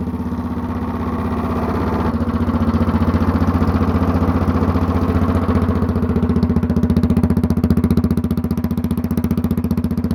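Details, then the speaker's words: Honda clone single with stage-1-style kit, header, 10-pound cast iron flywheel and cam work, started on choke: even firing about four per second growing louder and crisper once the automatic compression release disengages; normal healthy start-up and run. "Sounds really good. Alright, so you could hear when I was starting it up and stopping it, there was a little bit of a change in the sound."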